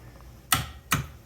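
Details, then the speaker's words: Old jet ski that sat for years, battery recharged, button pressed: two sharp clicks from the starter solenoid with no cranking; owner plans to clean the solenoid connections. "and I can hear it clicking Spark that solenoid is actually clicky now"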